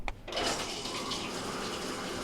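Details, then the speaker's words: GE top-load washer WJSE4150BZWW that was not filling with hot water, after replacing the WH13X10024 inlet valve: a steady rush of hot water into the tub with no valve hum or chatter. Normal fill. "we have hot water coming through now"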